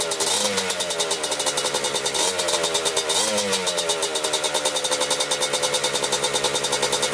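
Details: 1987 Kawasaki Tecate 4 250cc two-stroke quad, just rebuilt, first start after gas was poured into the cylinder; crisp, even idle with quick throttle blips that rev and settle cleanly; normal idle.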